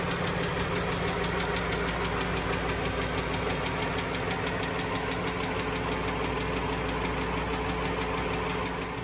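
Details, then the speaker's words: 2014 Dodge Journey AWD, 3.6 Pentastar V6: light, quick ticking keeping time with engine speed at idle; owner suspects worn rocker arms and lifters despite correct oil level, not confirmed. "can you guys hear that engine tick"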